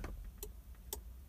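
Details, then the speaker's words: 1997 Jeep Grand Cherokee unlocked with the key: sharp ticks about twice a second from the alarm module behind the dash, no horn, indicating the alarm is triggered and shutting the engine down when starting is attempted. "hear clicking in the dash there's a module in behind the dash there and that's indicating that the alarm is activated and so we're going to try and start the jeep and it shuts it down you can hear the clicking we'll try one more time shuts it off"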